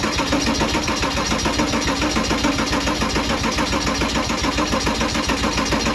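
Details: Porsche Boxster/Cayman 987 compression test: spark plugs out, fuel pump fuse pulled, battery fully charged, wide open throttle cranking. Even cranking about 3.5 pulses a second, equal strength each stroke; cylinders all around 270 psi, good compression.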